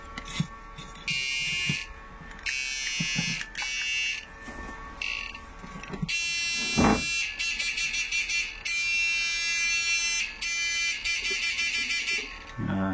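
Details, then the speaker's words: Fish shocker inverter with used original parts tested at frequency 0 with a 500 load, buzzer attached; it sounds fairly loud and is expected to quieten when removed. Loud shrill buzzing in regular strong on-off bursts: inverter driving its buzzer normally. "Ini suaranya kan agak keras. Coba kita lepas. Pasti suaranya juga ikut pelan."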